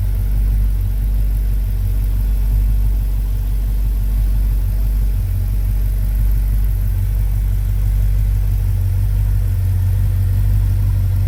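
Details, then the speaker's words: 1972 Chevy C20 pickup, V8 engine started after a rebuild and more than 20 years of problems: steady, even low rumble at constant idle with no knocks, ticks or misses. It ran smoothly, with nothing breaking. "Honestly though I was waiting for something to break or noise to start or something to blow up surprisingly it didn't"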